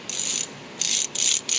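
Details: Ford 4R100 transmission intermediate sprag/diode sprag spun by hand: light, fast high-pitched ratcheting in four short bursts; it spins one way and locks the other, freewheeling normally.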